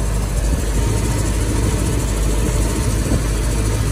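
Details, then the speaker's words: 1964½ Ford Mustang convertible during a pre-purchase inspection, warm after an hour on the hoist: deep, steady idle with even low rumble, no misses or knocks; runs well, radiator core in good shape. "seems to run good radiator core again is in good shape"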